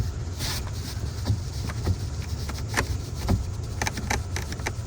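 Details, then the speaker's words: Changan Uni-S driving: sharp, irregular plastic clicks over steady road rumble, from sunroof headliner trim whose clips have come loose from the roof; fixed by snapping the clips back in around the sunroof. "Это происходит потому, что ваша отделка просто не прикреплена к потолку."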